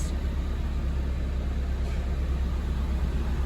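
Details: Honda Civic after repair of a weird chirping noise, parts retightened: only a low, steady engine rumble with AC switched on, no chirping or cricket-like noise left; sounds healthy.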